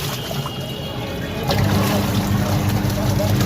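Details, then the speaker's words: Samsung semi-automatic washing machine after gearbox replacement, tested filled with water under load: steady low motor hum with water sloshing, no grinding or knocking; the earlier noise is completely gone. "अब देखिए, इसकी आवाज़ एकदम गायब हो गई।"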